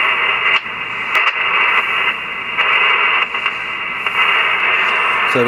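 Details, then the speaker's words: Yaesu FT-101B ham transceiver receiving: steady hiss crackles and drops out with sharp clicks as the chassis is flexed, revealing an intermittent connection. Dirty boards are suspected, starting with the RF board. "i noticed when if i move this thing around it loses receive and if you wiggle it it will come back to life so that tells me there's probably some dirty boards in this radio here"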